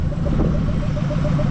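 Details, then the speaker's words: Mazda B2200 carbureted four-cylinder, running after 20 years following a new fuel system (pump, lines, filters, carburetor, fuel cell), choke wire removed: low, even idle burble, steady firing pulse, no misses or knocks; idles properly by itself. "she's just sitting there idling by herself"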